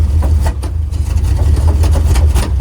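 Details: Kaiser Jeep M715, Tornado 230 OHC inline-six, idling after its Holley 1920 single-barrel carburetor was refitted, alternator on full charge, oil pressure about 50 psi, fluctuating; deep steady rumble with no knocks or misses, normal idle.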